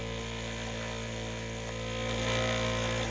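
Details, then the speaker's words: 3D-printed maglev motor after swapping the aluminum backplate for 304 stainless steel, running before graphite is applied: smooth, even electrical hum with a steady pulse of about three to four per second. "got a nice hum now I still haven't put the graphite in"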